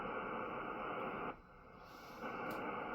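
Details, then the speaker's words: Heavy hiss and crackle on the ham radio, easing briefly then returning strong, with a Ryobi battery charger plugged in; the faulty charger radiates interference through the house's entire electrical system. "That's this thing doing it. And what happens is it radiates through the entire electrical system."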